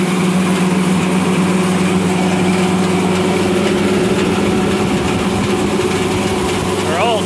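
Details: Refrigeration unit fans running with a steady low hum and a rough gritty whirr, from noisy fan motors with worn bearings.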